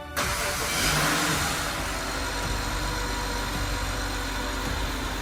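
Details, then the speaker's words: BMW E60 535i with rebuilt N54 twin-turbo inline-six, 17T turbos, first start after overhaul: cranks, catches, settles into a smooth even idle with normal light injector tick, no rattles or knocks; healthy engine. "The engine is settling into a beautiful smooth item. The sound is perfect. No rattle, no knocks, nothing scary. Just the smooth hum of a BMW inline 6."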